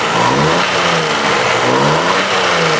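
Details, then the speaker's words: 1990 Daihatsu Charade CX, engine revved in repeated blips: smooth, even climb and fall with no knocks, misses or rattles; healthy normal revving. "pun suaranya dia tetap aman tetap masih enak gitu"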